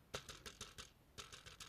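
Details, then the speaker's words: AliExpress dashcam bought for under 1 €, held close in a quiet room: quick light plastic ticks in bursts, about six a second, something loose rattling inside the camera, the noise heard in earlier road footage; cause suspected, not confirmed. "c'est ça qu'on entend sur le premier jet de la vidéo. Vous voyez ça là, ce qu'on entend. Donc il doit y avoir un truc quelque part."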